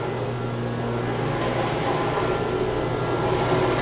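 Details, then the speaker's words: Chiller chilled water pump with copper lines shaking: loud rough rumbling roar over a steady low hum. The pump vibrates and is noisy from a clogged suction strainer that needs cleaning, and a leak is also present. "Say it's shaking bad in the pump. Making a lot of noise. You see it's shaking. What's happened though, they got a strainer right here. This needs to be cleaned"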